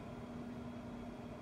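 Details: Car driven after replacing worn ECS front struts: steady road and engine hum with a faint constant tone, no clunks or bangs from the suspension; earlier clunking and banging was due to bad front struts.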